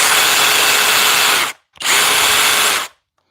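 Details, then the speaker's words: Kobalt impact driver, after driving fasteners meant for a drill: two bursts of harsh, gritty metal-on-metal grinding inside the tool over the motor whine, suggesting internal damage already. "can you hear it can you hear that grinding noise inside we heard it"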